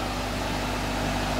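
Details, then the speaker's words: Electric motor after reassembly with new bearings, test run on the bench: smooth, even hum, fan noise only, no grinding or bearing rumble compared with the old bearings; successful repair, normal running. "the well the fan is making a lot of sound but there is absolutely no bearing sound now compared to the old bearings this is extremely silent so I would call this a successful repair"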